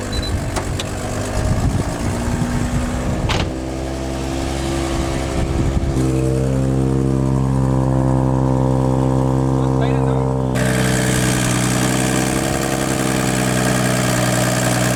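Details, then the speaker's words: Toyota JZX100 Chaser 1JZ turbo: two bolts blew out of the turbo manifold after roll racing, so a loud raspy, flatulent exhaust-leak note swells with revs instead of a smooth six. "so what happened is the bolts came out of the turbo manifold um it just shoot out two at raw racing that's what happens and that's why it sounds like us"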